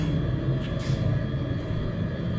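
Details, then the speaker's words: Truck diesel bunk heater after rebuild (new glow plug, screens, blower motor), heard from outside the truck: smooth steady low roar, no sputter or surging under truck rumble, sounding how it's supposed to. "Now that I'm out here, listen to how much healthier that sounds. That's how it's supposed to sound."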